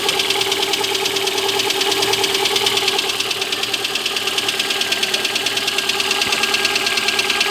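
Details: Lada Granta engine on a cold start: a sharp, even metallic knock of about two per second over the idle; the cause is unknown.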